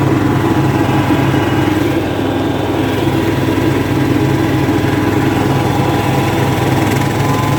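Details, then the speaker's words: Craftsman LT2000 lawn tractor, unused since about 2013–2014, running after an oil change, with the original plug and air filter kept and a new transmission pulley fitted. Steady even engine drone with no hunting or slipping noises; engine seems fine: normal running. "uh engine seems fine didn't change the plug or the air filter both looked fine"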